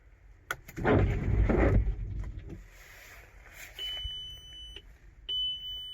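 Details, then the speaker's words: Beeps at key-on from a 2005 VW T5 Transporter bought at auction as a project, then the engine seems to run okay; unclear warning chime, with ABS and flashing dash lights and no power steering noted. "yeah I don't know what the hell that means I have no idea but seems to run okay"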